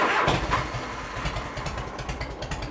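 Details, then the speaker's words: 1986 Harley-Davidson Heritage Softail, 29,000 miles, first start after 10+ years with carb cleaned, battery installed and oil checked: brief crank, then an even, loping V-twin idle with steady pulses; normal start and idle. "oh that's a good sound right there"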